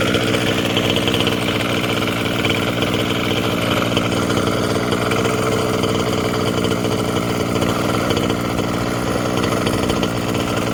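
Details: Losi 5B TLR with OBR 34 two-stroke engine, before rebuild: constant buzzy run with a harsh metallic rattle at steady revs; teardown found one failed crank bearing (coil and starter had been checked).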